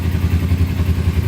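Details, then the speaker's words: Cheap non-running Kawasaki Ninja sport bike, sat a long time, oil level good, idling after a rough first start; low, smooth, even burble with no rattles or misses: normal idle. "Yep. So everything officially works on it. Wow, that sounds really good."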